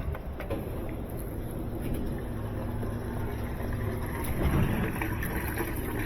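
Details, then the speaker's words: GE washing machine, still under warranty, after three failed repairs: drain pump running with low even motor hum and water sloshing, no rattle or squeal; pump works fine, fault lies elsewhere (later found to be control board). "pump's working that works fine so it might be more to it than do a lid look"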